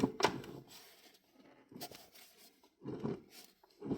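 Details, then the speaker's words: 2013 Mazda 3 manual transmission removed for a clutch replacement and found with no oil in it: rough, gritty rasping bursts each time the shaft is turned by hand; a worn shaft bearing is suspected but unconfirmed. "I don't like the way this sounds. Sound like a bearing problem."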